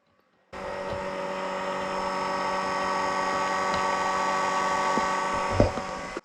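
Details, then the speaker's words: 2004 VW Beetle Turbo S 1.8T, no crank no start, after burnt fuse box replacement: steady high electric whine with ignition off that stops when one fuse is pulled; something on that circuit running and draining the battery. "i don't know what but if i pull this fuse it goes out so something on this circuit is making a ton of noise and killing the battery and this thing is no crank no start to be continued"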